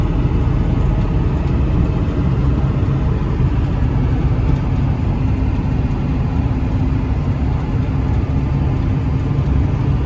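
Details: 1995 Ford 7.3 Powerstroke diesel truck, roadworthy again after 10 years sitting, driving: steady deep diesel drone with even road rumble, no knocks or misses under load; healthy.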